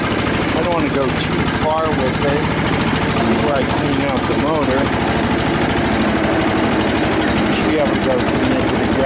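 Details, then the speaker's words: Cub Cadet LT 1018 tractor engine, 150 hours, revived after sitting, moving forward and back: steady, even engine putter holding speed; runs smooth and healthy. "150 hours and sounds pretty good"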